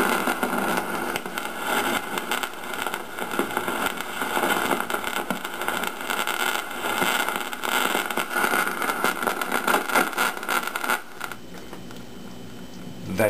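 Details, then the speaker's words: 1953 GE 548PH tube radio alarm clock: irregular popping crackle on tuned station, cutting out suddenly; internal not atmospheric, paper capacitors already replaced, a problem common to radios of this era at this age. "not radio that is a problem that these radios of this era had Fairly regularly especially once they're as old as this one is now"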